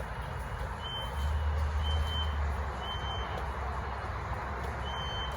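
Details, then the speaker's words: Outside an apartment door and window, a noise going off since 4 a.m., loudest there; not the fire alarm and not car alarms: short high beeps near 3 kHz about once a second over a low rumble; continuous alarm beeping, source unknown. "this is really bizarre and i need some sleep but this noise is not stopping and i don't know who"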